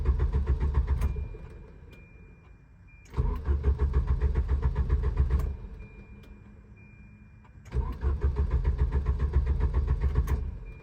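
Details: Volvo 740: three separate bursts of steady starter cranking at about 220 beats a minute, engine never catches; crank no start.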